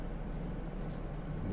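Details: Car engine at cold morning idle in warm August weather after the owner used additives against hydraulic lifter tapping: quiet even low hum with no ticking; owner says the tapping is gone but may return in sub-zero temperatures.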